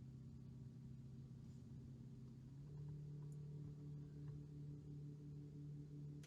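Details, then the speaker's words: New 2021 Tesla Model Y Performance, parked, fans and AC off: steady low electrical transformer-like cabin hum, stepping slightly higher partway, worse with AC on; an earlier-built Model Y is silent. "it's this humming noise that sounds like electrical transformer in the car now when i turn on the air conditioner it gets worse"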